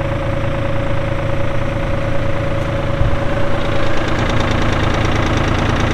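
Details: 1999 New Holland TN65S 4WD cab tractor, 4,162 hours, with loader: steady low diesel clatter at even idle with no misses or heavy knocks; engine runs smoothly.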